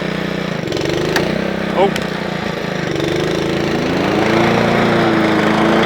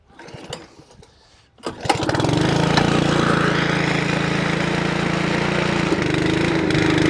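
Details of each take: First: Honda Lawnflight 553 HRS Pro mower, Honda GCV160 engine, rebuilt gearbox, testing roller clutch and drive together: steady single-cylinder chug with no knocks or grinding; running as it should. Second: Honda Lawnflight 553 HRS Pro mower, Honda GCV160 engine, unrun for about 1.5 years, cold start on choke after gearbox rebuild: rough chug for about six seconds then cuts out; owner thinks carb wants more fuel.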